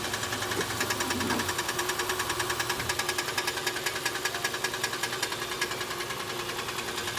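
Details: 2013 Nissan Sentra on its second CVT at 112,000 miles, idling and shifted between drive and reverse. Steady, fast metallic ticking about 2.5 times a second, traced by stethoscope to the transmission near the drain/filter area; the CVT is failing.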